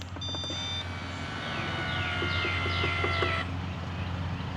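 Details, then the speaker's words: Mammotion Luba 5000 AWD robot mower, grass button pressed to lower blades while flat: short beeps then rising electronic chirps over low motor hum as deck steps down; normal height adjustment. "All right, you can hear it going down. I'm going to do it again."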